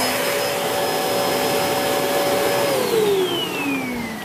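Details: Hoover Whirlwind Pet WHS2102 001 2100W bagless upright vacuum, bought 2013, belt refitted after storage: smooth steady motor whine with airy rush, dropping in pitch as it winds down; normal, healthy running.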